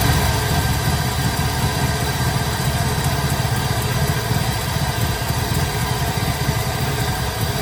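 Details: 1972 Impala with LS3 swap idling after retightening loose torque converter bolts, two of three found loose: steady deep even V8 burble with the earlier rattle gone, normal idle.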